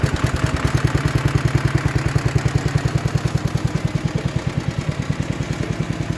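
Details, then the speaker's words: 1960s Toro Professional 70 reel mower single, after clearing plugged sediment bowl, some leakage: steady even chug about eight pulses a second, running only with fuel shut off; carb suspected to need rebuilding. "all right so it runs all right with gas shut off if you turn on the gas it doesn't want to run telling me carb has issues and needs gone through"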